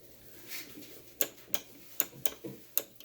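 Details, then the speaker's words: Ultrean air fryer that would not power on, after replacing the faulty microswitch: six crisp, sharp clicks at uneven intervals as the basket tab presses the new switch; fryer then lights up. Normal microswitch click. "This is the little tab that actually activates it when you slide the basket in place, so you'll hear it click when I push it in."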